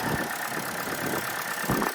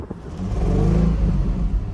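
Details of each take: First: Auction car, either the 2004 Infiniti G35 or the 2011 Chevy Cruze, idling in cold weather, heard at the engine bay: engine shaking, with an uneven idle and irregular dips and stumbles; a misfire is suspected. Rough idle. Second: 2004 Infiniti G35 RWD at an auction lot, revved while stationary: climbs and drops cleanly through several blips with a smooth deep note and no knocks or rattles; the engine is noted to shake. Normal revving.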